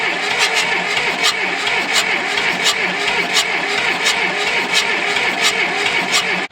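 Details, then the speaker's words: John Deere 2640 diesel tractor that sat for years, on its second attempt after bleeding the fuel line, with a weak battery: steady cranking at about 86 pulses a minute with no catch. Cranks but won't start; no fuel delivered by the injection pump. "It would never hit on battery. We didn't have enough battery to really do much with it."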